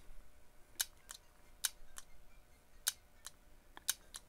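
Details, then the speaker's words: On/off DC transmission solenoid, one-pin and case-grounded, from a Honda transmission, bench-tested: crisp evenly spaced clicks as power is tapped on and off; the solenoid is electrically good. "And you can hear the clicking on this solenoid. So this solenoid is electrically good."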